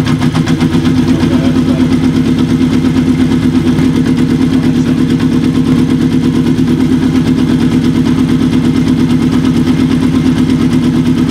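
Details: Kawasaki KZ750 café build, stored for years, after fixing a vacuum leak and during idle-mixture adjustment before carb sync: steady four-cylinder idle with quick, fairly even exhaust beat, slight unevenness; exhaust smoking heavily.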